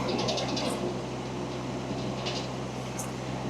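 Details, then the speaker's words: Rippa RS-06 diesel mini skid steer, noticed while turning: steady diesel drone with brief high-pitched chirps cutting in and out irregularly; intermittent abnormal noise, source unknown. "It's intermittent. It might be nothing. It might be something."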